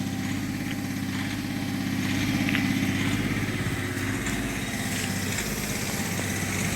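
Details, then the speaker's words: Hyundai Grand i10 on light throttle, revs hanging around 2500 rpm: a rough engine with a fast, uneven tak-tak tapping, heavy white smoke with each knock; a faulty injector is suspected. "So எப்போ கடன்னு நீ வருதோ sound, அப்போ இந்த மாதிரி white smoke நிறைய வருது."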